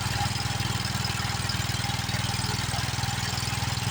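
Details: Old Wheel Horse tractor that had sat for a long time, fired up on carb prime: small engine settles into an even, steady thump of about four pulses a second with no misses; it runs smoothly.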